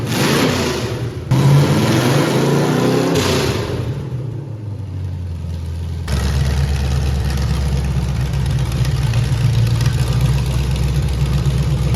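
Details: V8-swapped Ford Pinto drag car with new Holley fuel system, MSD ignition and nitrous kit, mixture screws evened up, 15 V: big V8 revs briefly, then settles into steady even low burble, no hunting or misses; normal idle.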